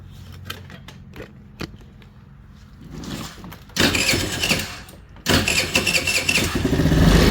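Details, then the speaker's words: Trailmaster 50cc scooter with GY6 Chinese engine, headlight unplugged: few clicks, cranks, catches and settles into an even, steady idle, charging normally as the electric choke raises idle; internally shorted low-beam headlight caused poor idle. "So we're charging at idle like we should be. That's the electric choke kind of getting seated there, making the idle go up."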